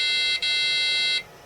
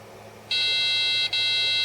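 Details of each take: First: Amiga A2386 386 Bridgeboard with corrosion, no CMOS battery, booting: a high beep, a brief break, then a longer steady tone of about a second; BIOS reports extended CMOS checksum error, CMOS RAM suspected faulty. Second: Amiga A2386 386 Bridgeboard under repair for corrosion, booted after inspection with original GALs refitted; single clean high beep about 1.5 s, nothing after, normal power-on self-test pass, worked first time.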